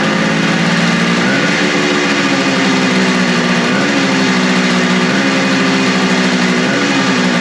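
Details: Suzuki two-stroke motorcycle after carburetor cleaning, restarted on choke, both cylinders equally warm: revs hunt up and down roughly every 1.5 seconds, never holding idle. Owner wonders if it is starving for fuel and opens the throttle adjustment slightly; unconfirmed.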